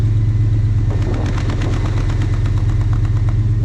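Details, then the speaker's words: 1980 Dodge W200 pickup with swapped 2000 Magnum 5.9L V8, cold idle: uneven idle with irregular exhaust pops and stumbles, missing down low; four of eight plugs fouled, owner suspects incorrectly rebuilt used carburetor; before plug replacement. "You hear that popping? Now, obviously, when I shut the exhaust off of my hand, it does that, but it's missing down low. The plugs are fouled, and they miss every once in a while."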